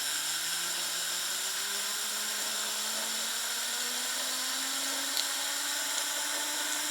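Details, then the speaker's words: Wilesco T115 model steam turbine, first run with the throttle just cracked; a thin high whine climbs slowly and evenly with no rattle or scrape. Barely revving, but it spins, bearings good, slow spool-down. Normal running. "All right, this is barely revving out at all, but we have got ourselves a spinning turbine."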